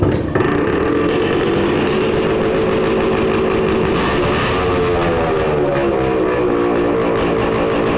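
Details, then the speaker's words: 1966 Suzuki Bearcat 120cc two-stroke, revived after long storage, before a heat cycle to find an oil leak: steady, busy buzz holding an even pitch with no misses or knocks; normal running. "Well, that sounds pretty good."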